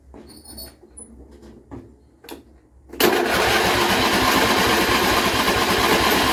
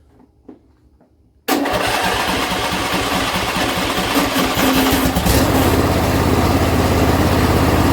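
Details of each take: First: John Deere L120 lawn tractor after carburetor replacement, weak battery: after a few clicks, starter cranks steadily about three pulses a second without catching; a really long crank, hard starting. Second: John Deere L120 lawn tractor after carburetor replacement, choke on, throttle about midway: engine catches at once and settles into an even, steady run, firming up as choke comes off; starts without pouring gas in the carburetor.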